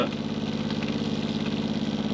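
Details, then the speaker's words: Caravan water pump before noise reduction: a steady motor hum with a fast buzzy pulsing; water pump vibration noise. "I would say a lot of the noise is coming from over here and here see just pulling that that out is helping"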